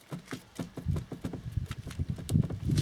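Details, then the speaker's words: Peugeot Partner 2.0 HDI: dull, rhythmic knocking, several a second, as the steering is turned back and forth, from a worn steering shaft universal joint (cardan) on the steering column, which is to be replaced. "Я хочу поміняти кардан на львій колонці значить чому я це хочу зробити Опа чому я хочу це зробити значить дивіться чуєте"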